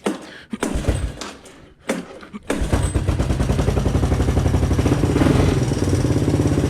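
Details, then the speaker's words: 1985 Honda ATC 200M single-cylinder on a new Chinese carburetor, first run in a year or two: rough cranking, then fast idle with a light regular tick from the front valve; valve clearance needs adjusting. "You can probably hear that front valve there. I gotta adjust the valve clearance, but keep in mind it's the first time this has been running now in a year or two."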